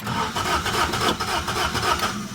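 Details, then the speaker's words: 1975 Toyota Corolla KE35 running after a starter motor swap: lumpy, uneven idle with irregular pulses and a rasp, running too high; the owner suspects the spark plug. Rough running, cause unconfirmed. "So, this isn't running how it should. This is running too too high. How bizarre."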